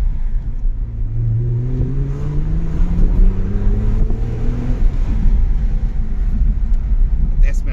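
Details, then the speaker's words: Hyundai Coupe 2.7 V6 petrol, 6-speed manual, custom Fox exhaust, heard from the cabin with the window down while accelerating: deep smooth burble rising in pitch, no rattles or drone; normal exhaust note. "Kipufogol, nagyon szépen duruzsol. Kicsit odaléptem, remélem, hogy hallatszódik belőle valami."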